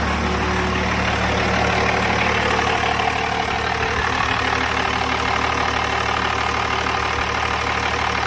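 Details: 12-valve Cummins diesel started after AFC fuel plate adjustment: deep, even diesel clatter at a steady idle, no misses, hunting or knocks; smokes a little; normal idle.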